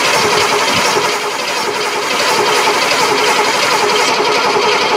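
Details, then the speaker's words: Cadillac off the road since 1999, after priming gas into carburetor: even starter whir with rhythmic cranking, no firing; coil wire shows no spark, points tarnished next to check. "all right let's see if that sparks go ahead bump it over nope peel the cap off let's check them points"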